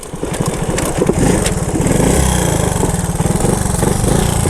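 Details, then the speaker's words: 1977 Honda ATC 90 two-stroke three-wheeler, first run after sitting for years, after a ride: pops unevenly, revs rising and sagging, can't hold idle; owner suspects the carburetor needs cleaning and adjusting. "will it idle I don't think it's gonna idle we need to carb probably needs cleaned out and adjusted"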